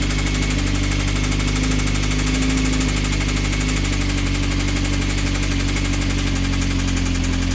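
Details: Honda CBR engine idling with a steady rhythmic metallic knock in time with the engine; a suspected bottom-end or connecting rod knock, not confirmed; advice: stop running it and check rods for play on the crank.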